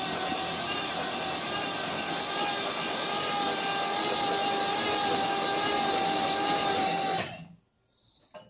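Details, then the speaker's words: 1973 Mercury Cougar XR7, unstarted since 1985, in park on ramps, first crank with spark plugs out: starter whirs steadily, slow at first then picking up speed, about seven seconds; engine turns freely, not seized, a little oil mist from plug holes. "I'm going to go ahead and crank it over for the first time. I know the engine's not locked up because I turned it over before."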